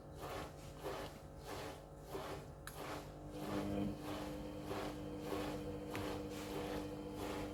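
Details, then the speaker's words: Panasonic 7 kg front-loader washing machine after fixing error H07, on an 800 RPM spin cycle: soft rhythmic tumbling swish as the motor hum rises smoothly in pitch, spin speed now increasing normally instead of surging high and dropping. "thank you now is normally increasing RPM now it is okay perfect machine running"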